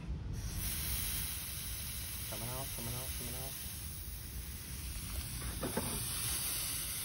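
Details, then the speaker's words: Forklift A/C refrigerant recovery before compressor replacement: hose cracked with valve shut to purge air, a steady airy hiss holding for several seconds. Normal refrigerant hose air purge hiss. "at this time we're going to crack this hose with the valve shut you'll hear air come out"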